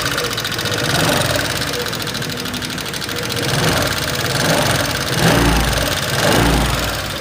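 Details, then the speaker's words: 2018 Honda Vario 125 FI scooter at idle, complaint of rough sound, light check before any teardown: a light, quick ticking from the front cylinder head area over the idle; cause not yet confirmed. "jadi pada motor Vario ini suaranya gelitik-gelitik gitu teman-teman ya terlihat dan terdengar Masih pada bagian mesin depan ini teman-teman"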